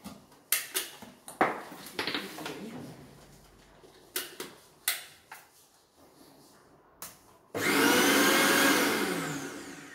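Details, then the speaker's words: Mixer grinder: scattered handling clicks and knocks, then the motor spins up into a smooth, steady high whirr; a normal running sound. "I just show you the sound. इसकी आवाज़ इस तरीके से आती है।"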